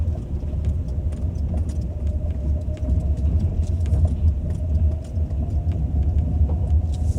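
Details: Ford Focus 2 driving: faint light ticks over steady low road rumble, suspected steering rack knock.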